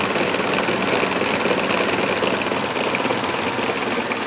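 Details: Mercedes C180 Kompressor, loud steady rattling whir over the idling engine from the electric radiator fan with a loose, worn bearing.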